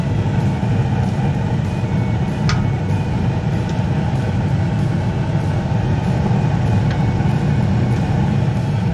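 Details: Two-stage gas furnace on high stage with manifold pressure set to 3.4 in. w.c.: a steady, even, low burner roar with no surging or pulsing. High-stage burner operation is normal.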